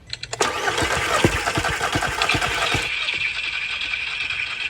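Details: MK1 Golf 1.8T AWD project car, spark confirmed: starter cranks with about six even compression chuffs a second, never catches, then spins free; crank no start because the fuel tank was empty.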